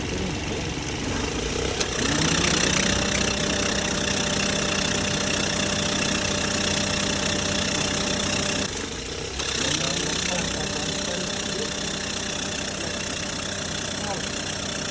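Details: Perodua Myvi idling with a steady thin squeal ("mouse" noise) that drops away briefly and returns; it happens when driving cold in the morning or in rain. Slipping drive belt suspected, not confirmed.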